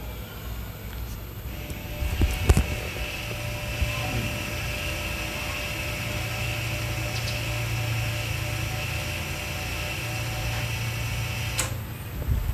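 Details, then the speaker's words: Audi C7 3.0T rear electronic parking brake retracting via OBD11 lining change mode before rotor and pad replacement: steady low motor whir for several seconds, then clean cutoff; normal operation. "Hopefully got that on mic. That was the sound of it reseating, and so now we are good to go and change the rotors and brake pads"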